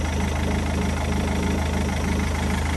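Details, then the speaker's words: Rover 75 diesel after crank pulley replacement (old pulley disintegrated hitting body): steady idle with even low clatter, no knocks, squeals or belt noise; sounds normal. "this is quite nice to see it running so I'm gonna just let her for a bit does that sound normal to you to me it sounds normal"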